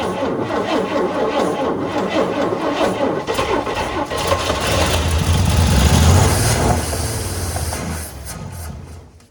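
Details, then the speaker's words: 1955 Chevrolet 3100 truck, unrun since about 1993, with new points fitted: cranks, catches and rumbles unevenly for several seconds, then fades and dies; points and plugs are good, but the carburetor is starving for fuel. "All right, so we proved that it runs. Got a new set of points in it that fired right up."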